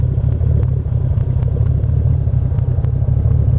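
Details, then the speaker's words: 1931 Ford 5W coupe hot rod, 289/302 Ford V8, C4 automatic, relatively cold: deep lumpy V8 burble with steady even beat, no lifter noise or knocking, no smoke, no issues; normal idle. "It's relatively cold right now. It's not even warmed up. It sounds great. I didn't hear any kind of lifter noise or anything like that."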